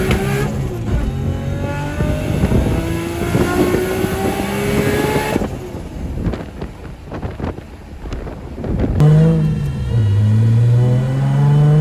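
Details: Big-turbo RB25NEO, first drive after engine reinstall, about 18–19 psi boost: strong pulls rising smoothly through the gears with clean turbo rush, no knocks or rattles; engine healthy with good oil pressure, though the transmission is damaged.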